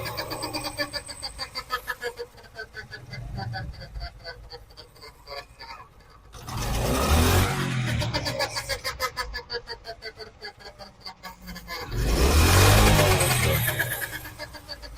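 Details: 2025 Honda motorcycle with about 400 on the meter, idling and blipped: steady light rattle about four times a second swelling with revs; drive chain noise, cause undetermined.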